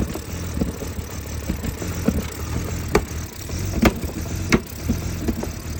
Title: Help!!! 2004 BMW E46 325 CI Rough start, idle and popping sound from intake manifold.